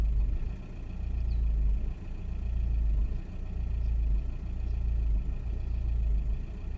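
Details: 2001 VW Passat 1.9 TDI diesel at idle: low rumble that swells and sags unevenly about once a second instead of a smooth idle; engine misfire.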